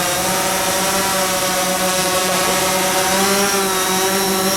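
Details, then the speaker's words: DJI Phantom 4 drone started by pulling both controller sticks diagonally, for a pre-takeoff check: a steady, even high-pitched hum from all four motors with no wobble or rattle. Normal motor run. "이렇게 당겨주고, 시동이 걸렸죠? 한번 떠기 전 이륙해가지고 비행하기 전에 기체의 상태를 테스트 한번 해보겠습니다."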